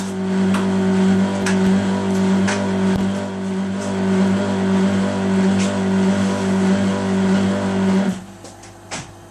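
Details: Indesit 1200 WIDXL washing machine during a wash: low rough grinding drone with steady hum from the turning drum, stopping abruptly near the end; cause unknown.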